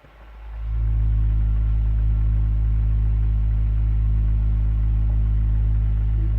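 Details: Boiler droning: a steady low resonant hum builds within a second and holds unbroken; it is combustion rumble.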